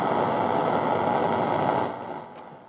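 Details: Homemade amplifier mixing the computer's on-board and USB audio: steady hum and buzz with a thin high whine underneath that fades near the end, present with any amplifier used; electrical noise of unknown source, ground loop suspected.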